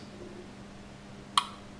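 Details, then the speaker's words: Centurion proximity tag access control door system on the bench: one sharp relay click over a faint steady hum as registered tag number seven is accepted and granted access; normal operation. "if we take a register tag this must be James Bond's tag because as soon as I bring it near it detects tag number seven that is in the memory and if you can hear the relay"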